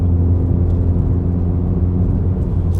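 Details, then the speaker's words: Ford Focus ST cabin at part throttle, held at constant revs while accelerating: deep, steady booming hum, the worst of the exhaust drone, before the trunk-cover fix. "yeah right there right there it drones the worst it's absolutely terrible"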